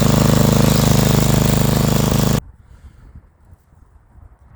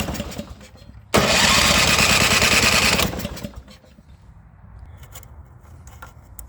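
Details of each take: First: Snow blower small single-cylinder gas engine after cleaning carbon-clogged carburetor bowl and jet with carb cleaner: fires right up and chugs evenly for a couple of seconds; runs clean. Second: Snow blower petrol engine unused for a long time: about two seconds of loud cranking that never catches; no-start from carbon-clogged carburetor jet, fixed by removing the float bowl and spraying carb cleaner in the orifice.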